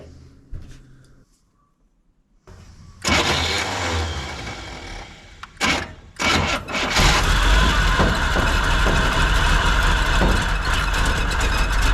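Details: 1957 Chevy Sedan Delivery 4x4 on a Chevy truck frame, 454 big-block, SM465 transmission, NP205 transfer case, first start after a new clear fuel filter: a few cranks, then a steady healthy idle with the accelerator pump working and audible gear-drive whir.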